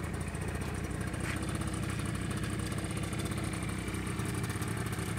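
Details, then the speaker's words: Honda Lead 50 scooter, five years old (fifth season), cold start on electric starter, compression checked and spark plug replaced: small engine ticking over evenly with a light rattly buzz, no misses or knocks; normal cold idle. "вот за четыре года сейчас пошел уже 5 сезон вот он так должна заводиться"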